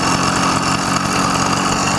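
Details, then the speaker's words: YD100 two-piece cylinder two-stroke with PWK21 carburetor, riding at around quarter throttle and off throttle: loud ragged buzz with uneven spitting and sputtering, first mistaken for rich but actually a far-too-lean mixture. "that that's what i was fighting i was fighting that sound and to me i thought that was fat"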